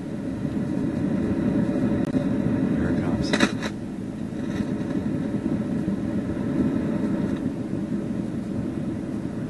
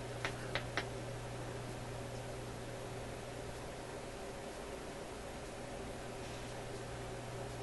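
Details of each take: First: Newcomb TR-1656-M tube record player amplifier at high volume after warm-up; steady waterfall-like rushing hiss with a few crackles, input selection affects it; tubes being pulled to locate the source, cause suspected, not confirmed. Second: Newcomb TR-1656-M tube record player amplifier, warmed up at high volume, run with one amplifier tube pulled while chasing a rushing noise. Only a steady low mains hum and faint hiss, no rushing: quiet, so the noise is ahead of or in that tube.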